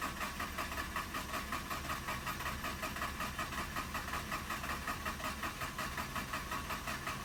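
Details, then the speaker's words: Mazda RX-8 rotary with a history of hard starting and compression untested: starter turns the engine over evenly at about two and a half beats a second, but it never fires; owner suspects apex seals. "Come on. It seems like it wants to. I'm gonna wait till it starts spinning slow."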